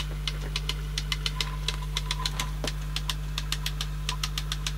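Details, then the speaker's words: 1980s Teac CX210 cassette deck, tape inserted with the mechanism in pieces during belt service. Sharp, unevenly spaced clicks about every quarter second over a low hum. It is still clicking; cause unconfirmed. "but at least we can put the tape in well I've got it in pieces [Music] and it's still clicking"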